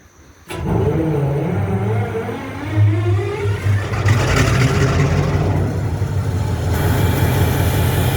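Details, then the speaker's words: MP15 diesel switcher locomotive, second unit, cold start on weak batteries: catches sluggishly after repeated tries, stumbles with an uneven deep rumble and smoke, then settles into a run. "She got dead batteries. She's smoking. I gotta tell you, that was a cold start."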